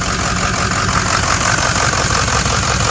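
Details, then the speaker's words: 2006 Ford XLT diesel truck at idle: light metallic jingle from the front, repeating a few times a second. Owner suspects the fan clutch; not confirmed. "All right, I'm hearing a little bit of jingling coming from the front, which possibly is from fan clutch. Gotta be."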